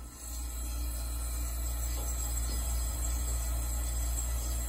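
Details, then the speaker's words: 1980s Super dehumidifier, Samsung 1/6HP reciprocating compressor, R-12, 120VAC 420W, original fan disconnected, just started with coils still at ambient temperature; quiet, steady, even low hum and audible refrigerant flow with no knocks or rattles: the compressor is running normally. "so here is the compressor on it's super quiet all right so i can hear the refrigerant flowing it's pretty much at ambient temperature right now but"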